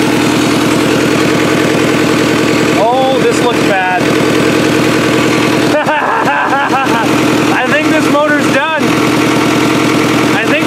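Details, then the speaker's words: Toyota Solara/Camry demolition derby car after the derby, smoking heavily from the valve cover: loud rough idle with a hard uneven clatter like an old diesel; worn-out engine, cause suspected, not confirmed. "they were oil again it sounds like an old CBI easel there's more smoke coming out of the valve cover then there is the dog holy"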